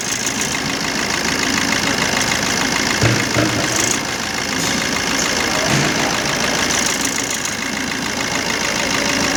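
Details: 2013 Maruti Dzire diesel at idle with DTC P0201: idle stumbles unevenly with a missing beat, a dead cylinder; wiring from the ECM to injector 1 is cut, with no continuity (open circuit).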